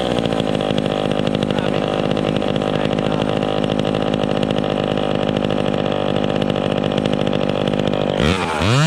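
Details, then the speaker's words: Vintage chainsaw revving at no load during carburettor tuning: uneven burbling stutter instead of a clean scream; slightly rich, four-stroking, expected to clean up in the cut. "okay that's good right there she's a blubbering blubbering in the cut are blubbering when she's revving up on no load but it should clean up in the cut"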